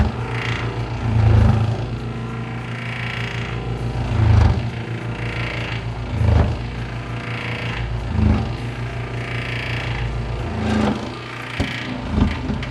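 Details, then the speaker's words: Bread maker after new, tighter drive belt fitted, kneading a big dough ball: labouring motor hum with heavy lurch about every two seconds; motor keeps turning but the drive gear slips and kneading stalls. "But the motor's still turning. I can feel the motor turning. But it's the gear itself that's slipping."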